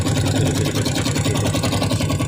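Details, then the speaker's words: Smash 110 motorcycle started after almost 5 years unused in storage: steady loud idle with uneven harsh pulsing and coarse mechanical rattle; runs rough, cause not confirmed. "itu suara terlalu kalengan karena motor ini udah udah kelima atau tidak hidup semacam suara apa itu teman-teman suara lahar keras terlalu kasar suaranya"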